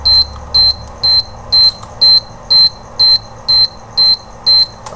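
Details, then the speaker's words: Induction cooker with shorted IGBT (20R1203), coil and fuse already replaced: beeps nonstop at power-on, about two high beeps a second; the fault is traced to a capacitor. "इसकी problem ये है कि अगर हम इसको series में लगाएं तो ऑन किया तो इसमें से बीप आ रही है, लगातार बीप की आवाज़ आ"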